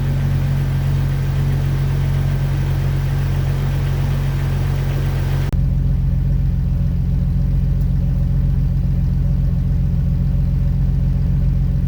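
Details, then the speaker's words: Jeep Wrangler TJ six-cylinder after a long cylinder 3 misfire, with new iridium spark plugs installed: steady, even idle with no stumbles, hiccups or odd noises; normal idle. "I changed up the spark plugs with the Iridium's and it's running perfectly it's not hiccuping it's not stuttering it's driving beautifully it's exactly how it was before there's no weird noises"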